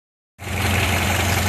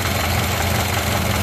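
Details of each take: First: Ford Model A engine settling into a smooth, even idle with a steady low beat, no misses or knocks, before the gas is shut off at the in-series switch. Running healthy. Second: Ford Model A running with fuel cut off at an in-series gas switch: low rough idle begins to chug and lope unevenly as the carburettor bowl runs dry; fuel starvation.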